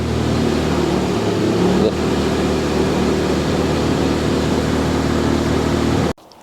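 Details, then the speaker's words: Car at idle after coolant work: holds a steady idle hum for about six seconds, then abruptly cuts out; new stalling problem, owner wonders if air in the coolant is to blame, cause undetermined. "You hear it idle and then it slowly just cuts off. It just drops."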